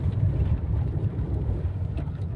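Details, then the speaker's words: Tata Zest on-road test drive after workshop repair of steering/suspension noise: even road rumble with some wind, no clatter over potholes; left-side rattle heard before is gone, suspension quiet and smooth. "पहले वो खड़खड़ की आवाज़ आती थी अच्छा। Left side से, अब कोई ऐसी आवाज़ नहीं है। बिल्कुल स्मूथ चल रही है।"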